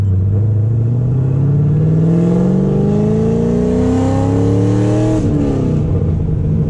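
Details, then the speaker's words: 2006 supercharged Corvette V8 accelerating through the gears with multiple misfire codes, earlier cylinder 6: rough, uneven, flat note, no power. Cause unconfirmed; race gas being tried, next steps plugs and stock wires. "right now it's running like and it just sounds horrible making no power whatsoever"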